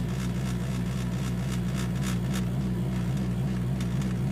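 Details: Acura RSX Type S at idle: steady low idle hum with faint, uneven light rattles; owner says the rattle comes from something behind the rear-view mirror, loose interior trim.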